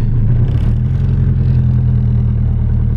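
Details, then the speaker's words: Car driven in first gear, then cruising, after checking misfire and timing: a smooth, even low rumble with no stumbles or skips, sounding a lot better than before and pulling with power. "We're just gonna go for a little cruise. Actually sounds pretty decent."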